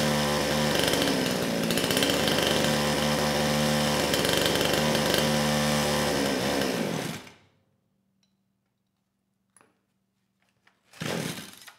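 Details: Kraftworld KW-5800 58cc Chinese two-stroke chainsaw, previously low compression after straight fuel, now with the new carburetor fitted, choke opened: holds a steady high buzz about seven seconds without stumbling, then cuts out cleanly; carburetion sounds healthy.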